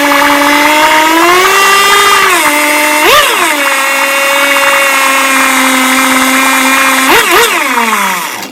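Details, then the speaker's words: 1959 Johnson 5.5 HP two-stroke outboard powerhead on a test motor, silencer removed, after low-speed (3/4 turn out) and high-speed mixture adjustment: high buzzing note holds steady and picks up with throttle blips, clean with no misfire. "I went all the way in on the low and came out 3/4 all the way in on the high came out a quarter and a half started and then adjusted from there run is perfect"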